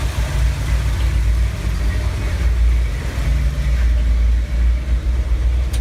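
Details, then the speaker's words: 1970 Ford F250 V8, slightly warm, after corrosion sanded off distributor cap terminals to fix high idle and stalling at stops: deep steady rumble, even idle, no misses or knocks; running well. "so now the engine runs really well I'm going to crank it over for you I already got the engine running this morning so it's a little bit warm and so it should crank right over"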